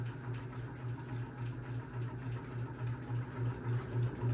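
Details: 52-inch unknown-brand bronze hugger ceiling fan: low hum pulsing about 3.5 times a second; badly wobbling light kit and motor, barely moves air; owner suspects a flywheel out of balance, unconfirmed.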